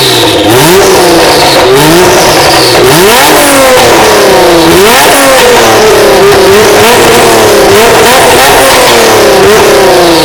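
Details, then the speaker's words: DeLorean with swapped Kia twin-turbo V6, warmed up, running base map from a previous Kia engine, being revved: crisp blips climbing and falling cleanly, even pitch, no misses or rattles; revs freely and healthy. "so the car finally ran we're really stoked that everything was working good"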